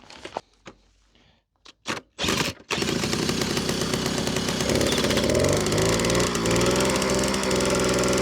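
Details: Old moped, 5 years in a barn, old fuel, after replacing the spark plug and slightly adjusting the carburetor; after a few failed cranks catches and settles into steady buzzing with throttle blips; problem solved, normal running.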